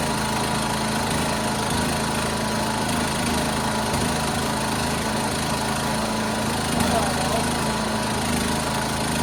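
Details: 1976 John Deere 300 with a binding starter, running after a hard start: a steady single-cylinder putter at constant speed with no misses or knocks; idling normally.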